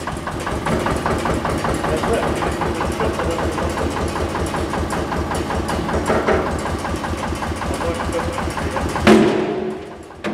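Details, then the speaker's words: Single-cylinder engine on museum earth-moving machine: slow, steady, even thump with heavy-flywheel feel, then a quick responsive throttle blip before dying down; sounds healthy. "that's quite responsive oh he's revving up brilliant yeah I must be a heavy flywheel in there somewhere"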